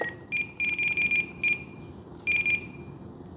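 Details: Radio transmitter set up for an Eachine F-18 50mm EDF jet. High, sharp beeps in short repeating groups with gaps: the timer alert, triggered by the throttle threshold. It stopped after entering the model setup menu.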